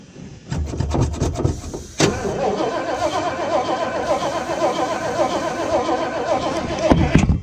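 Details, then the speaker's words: Salvage-auction vehicle cranked with throttle floored after spraying carb and choke cleaner into intake, suspected not pulling fuel from the tank: steady rhythmic starter churning for several seconds that never catches; cranks but no start. "Nothing, huh? Doesn't like that stuff. I like the brake clean though."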